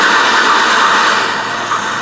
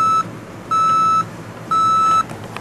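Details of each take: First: Panasonic RC-6288 FM/AM clock radio, made in China, on FM giving a loud steady hiss with harsh crackle and no station audio before tuning; radio static. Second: Panasonic RC-6288 clock radio alarm: shrill high single-pitch beeps, about half a second on and off, played through the speaker, not volume controllable; working as designed.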